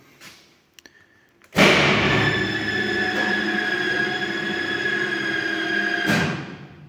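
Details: 35 kV incoming high-voltage circuit breaker (T2) at a 110/35 kV substation, being closed. Sharp clunk, then even motor hum about four seconds before stopping: normal breaker closing.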